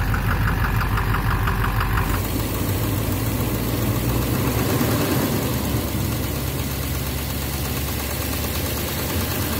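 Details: 2009 Chevrolet Duramax LMM dually with Allison transmission, idling in drive/reverse on the brake: rough, uneven knock about three a second on the diesel rumble; injector knock or cracked flexplate suspected, cause not found.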